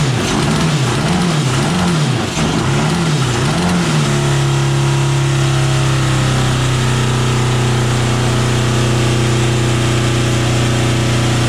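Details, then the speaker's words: 1982 Honda CB750 DOHC four-cylinder in a cross kart, after head service and coil change: uneven, hunting idle settling to a flat, weak drone; running on only some cylinders, owner guesses center ones fire, outer ones don't. "i'm going to say that the center ones are going to be running and the outside ones aren't going to be doing so hot"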